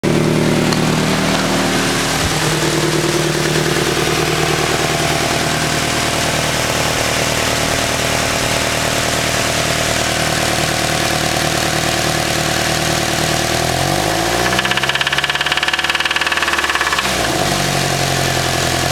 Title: sr20 spun bearing 1